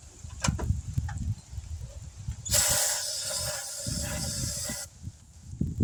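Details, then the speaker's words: 1971 Chevrolet C10 after sitting for decades, cold outdoor start, distributor roughly set, a little fuel poured in, no fuel pump: uneven low chuffs as it catches and falters under a long hiss. It won't keep running; owner guesses not enough fuel. "Oh, my guess is not enough fuel. It seems like she wants to."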